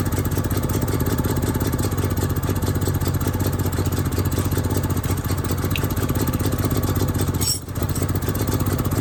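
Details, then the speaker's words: Onan RV generator found roadside; steady low chugging about four beats a second with slightly uneven rhythm, running after carburetor cleaning and starting fluid but carburetor still not metering right, running poorly. "it's an automatic choke so I'm not sure what that means it's supposed to automatically pull off the carburetor's not acting right yet"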